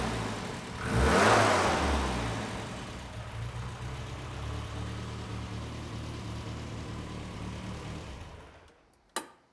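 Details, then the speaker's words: Classic Mini with freshly built turbocharged A-Series engine, first start after fixing a fuel leak at a hose clamp. At operating temperature it blips then settles into a steady, even idle with light valve chatter; running very nicely. "we have it up to operating temperature and it is running really really nicely um the microphone does usually make this sound a little Tapper than you would normally expect but don't worry it is really nice in person"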